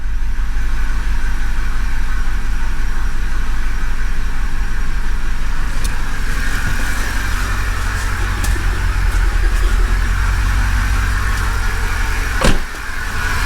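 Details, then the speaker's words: 2008 Mercedes CLK550 salvage car, first run after water was drained from the engine (gunk in cylinders, oil needs changing): loud uneven running with irregular shake, no knocking; rough running, possibly misfiring, suspected from residual water. "it's not even misfiring or maybe it is i don't know hard to say oh oh now it's shaking badly"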